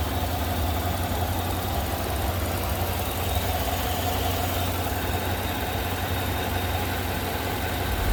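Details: Idle after the noisy vacuum pump, which sounded like bad lifters, was removed, holes plugged and brake booster teed into the intake; smooth even low idle, steady hum, no top-end ticking or tapping; normal idle after repair.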